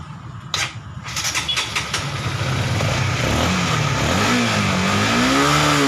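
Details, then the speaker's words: Honda CBR150R fuel-injected bike stuck at 2000 rpm, during fuel-system purging at 42 psi with HDS scanner: catches after a few cranking bursts, then wavering hunting pitch and stumbling hesitation under rev; suspected clogged injector from carbon or fuel-pump filter debris, unconfirmed. "Masih terasa tersendat ya. Ini jadi kemungkinan besar ini kasusnya ada di injektor ya. Jadi injektor ini tersumbat kerak karbon atau kotoran yang dari filter fuel pump tadi ya."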